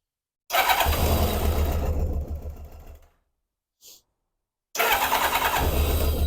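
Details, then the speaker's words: Kawasaki ZZR600 project bike, stone cold with choke off, tank nearly empty; fires, runs briefly, restarts, mostly even idle with an occasional stumble; slight misfire, with air leaks and breathing noted. "Oh, it's got a slight miss. Sounds bloody lovely."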